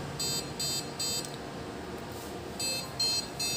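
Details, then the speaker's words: Desktop computer with no display at power-on, short high beeps repeating about two and a half per second with a pause; a RAM contact fault beep code. "let's try an example like this if you attempt on your computer then you'll hear a beeping sound like that"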